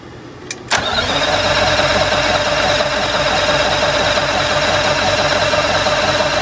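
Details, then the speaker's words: 1985 Bluebird Wanderlodge PT40 diesel, with the stop held on to crank fuel into the head after the Racor filter system was opened, cranks in a steady churn of about three beats a second and never fires. Fuel starvation: the filter is empty, fuel probably drained back to the tank. "well here's our problem we just opened this up we got no fuel in here so we've had this Ray core system open so I guess this fuel's probably drained back to the tank"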